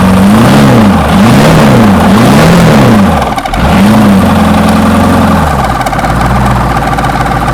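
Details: 6.2 L GMC V8 diesel, first start after sitting 15-20 years, glow plugs heated: revs rising and falling smoothly in repeated blips before settling to a steady, even idle; running on its own.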